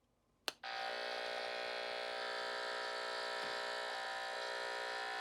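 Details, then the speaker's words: Hum-finder probe on an LED light, switched on: click then constant harsh electrical buzz with faint fast ticking; interference only with the light on, traced to the light's driver transformer. "So there's something right there that's generating a lot of noise. And it's only with the light on, so it's coming from the light itself."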